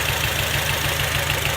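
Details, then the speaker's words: 2006 Acura TSX at idle before coil testing, coil or spark plug unknown yet: idle pulses stumble, a beat dropping out every few firings. Engine misfire. "I'm going to disconnect these one at a time. Listen for the sound of the engine to go down if it's a good one. See how it went down like that?"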